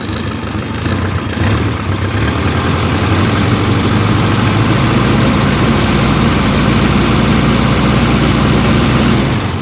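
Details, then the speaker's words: Car, about 228,000 miles, with mechanical fuel pump, after one-way fuel check valve installed, cold; catches and settles into steady even idle, low rumble, no knocking or misses; normal cold start and idle. "as long as that pump is prime it should like really start up a lot quicker even if your fuel evaporates back in the line so this should keep fuel up in that line start it up it's kind of cold"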